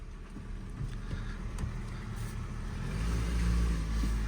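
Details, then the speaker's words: Ford Focus Cat N salvage rebuild: the engine pulls smoothly and rises steadily in first gear with no clunks, grinding or whine; the gearbox is healthy and the drive shaft was the fault. "first gear yeah Works absolutely lovely he the sensors yep gearbox is absolutely spot on"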